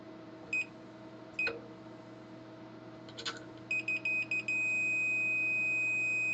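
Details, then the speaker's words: Commodore 2040 disk drive before first power-on, multimeter continuity check: a few short high beeps while probing, then one steady tone; chassis and transformer casing confirmed earthed. "yeah looks Earth to me yeah right chassis is Earth Transformer casing is Earth so hopefully I'm not going to zap myself"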